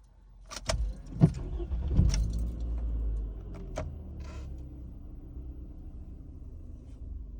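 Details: Toyota RAV4 test start after starter motor replacement: keys rattle, short crank, engine catches cleanly and settles into a low, quiet, steady idle; new starter working properly.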